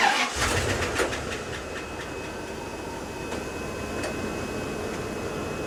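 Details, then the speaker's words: 1998 Bentley Brooklands after its failed fuel pump was replaced with a Bosch 0580254928 equivalent, not yet driven: brief starter churn, then it fires into a steady, even idle. Normal start and idle. "and there you go it's running um it runs okay"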